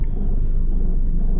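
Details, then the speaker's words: Nissan Versa, probably a 2014, at 90,097 miles, while driving: a deep, pulsing "rot, rot, rot" rumble and strong vibration under the car, source not pinned down. The customer's actual complaint is intermittent overheating, which was not confirmed. "It's got a pretty wicked vibration going on out there. You can hear that rot, rot, rot."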